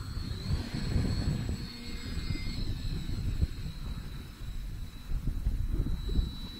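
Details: FT Freedom Fox V2 RC plane on its maiden flight, cool breezy morning: a thin, steady high motor whine over wind rumble, even as it passes; normal, smooth running.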